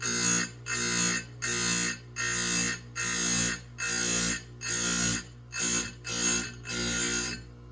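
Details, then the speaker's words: Chainsaw chain cutters being sharpened on a grinder: about ten quick, light hissing grinding passes over a steady motor hum. This side removes less material than the other side. "And you can hear when when I'm grinding on this side, you can hear how much more it's taking out. this side compared to the other side."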